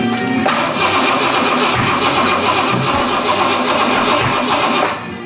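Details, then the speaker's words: Square-body Ranger engine, first start attempt after reassembly with new heads: uneven cranking about four beats a second with rough pops and a backfire; suspected valve or distributor timing problem, possibly running backwards, unconfirmed. "Yikes. Almost sounds like it's backwards. What would be backward? You're taking exhaust. It sounds like it's being open when it shouldn't be open."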